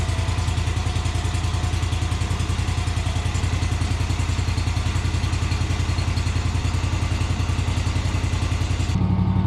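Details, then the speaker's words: Kawasaki-engined Yazoo Kees ZT Max 42-inch zero-turn mower, started on full choke after the fuel system ran dry: long steady cranking, then it fires and settles into an even idle that sounds mechanically sound. "mechanically it sounds really good it's idling well"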